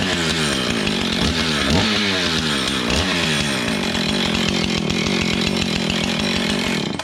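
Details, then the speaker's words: Husqvarna 445 XTorq chainsaw rebuilt from pieces, leaking fuel tank glued, first start outdoors; catches and revs cleanly up and down, pitch following throttle crisply, then shuts off; runs properly. "It's a runner."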